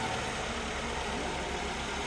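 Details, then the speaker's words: 2003 Mazda Protege5, not run for about 4 years, now running after jumping the starter directly at the starter: even steady idle, smooth low hum, no knocks, misses or surges. "I don't really know why or how, but all I did was jump the starter down at the starter and it is running."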